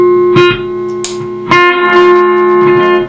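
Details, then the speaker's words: Fender Twin Reverb amp: clean guitar notes with a lingering spring-reverb tail and gentle pulsing warble; reverb and vibrato both working normally. "a bit of reverb there won't turn down to halfway so that's all working"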